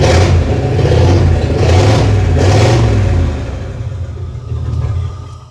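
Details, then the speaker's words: 1950 Ford with custom EFI (still needing tuning), after new spark plugs and a fabricated throttle pedal replacing the old rod linkage: three quick clean rev blips with no hesitation; throttle response now instant and smooth. "Okay, so immediate thoughts are this is way better throttle response. Before I was trying to push that rod and that all that bracketry and everything, and this is just so smooth."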